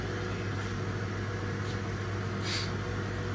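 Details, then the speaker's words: Haas VF1 CNC mill spindle commanded M3 S500, running at 500 rpm with zero load: a smooth, steady low hum with no knock, rumble or whine, a healthy spindle. "So now let's try M3S 500. Spindle sounds nice."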